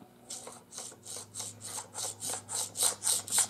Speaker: My only gripe about the whole thing so far is that that bolt catch release is designed to slide in that channel with a bolt, and so you can hear it.